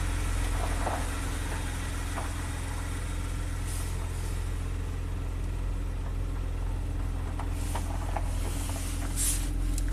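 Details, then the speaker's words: 2016 Maserati Ghibli twin turbo, first start after new timing chains; steady, even engine note with no knocks, rattles or ticks, mass airflow readings 11 and 11, running smooth, normal. "look at that 11 and 11. it's running super smooth that's good"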